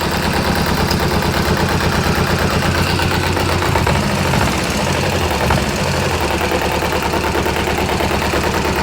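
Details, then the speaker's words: Kawasaki ZZR250 twin at tickover after the clutch basket rebuild with new bushes and bigger clutch springs (clutch now tight): steady, even low beat where it would normally knock at tickover, now no knock or rattle, a normal idle. "Listen to that. Normally that tick over it would be knocking. Perfect."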